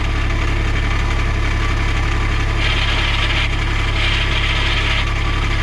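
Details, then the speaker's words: 2010 Cushman (Jacobsen) Truckster diesel dump utility vehicle, 2120 hours, needing repairs: steady diesel idle with rough raspy grinding bursts as clutch pressed and reverse engaged; noise seems from clutch, possibly clutch repair needed, not confirmed. "That's me putting my foot on the clutch. I'm in reverse. Noise is coming from the clutch, so not sure it needs a rear end."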